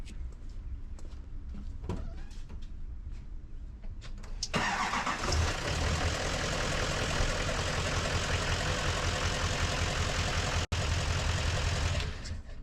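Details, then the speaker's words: Duramax LML diesel truck with a cracked piston, probably the third set cracked; owner blames having no EGT monitor. Cranks briefly, catches, then idles rough and uneven with a dull knock about every third of a second. "here we go again so cracked the Piston again this is probably third set of Pistons I crack"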